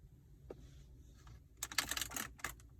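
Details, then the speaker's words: 2019 Mercedes-AMG C63 S Coupe, 6,000 miles: sharp dry clicks and creaks in quick bursts each time an interior trim panel is pressed. "this this sound should not be happening if i press into this not as bad but you can hear it now"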